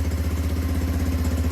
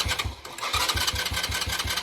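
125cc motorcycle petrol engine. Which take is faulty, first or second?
second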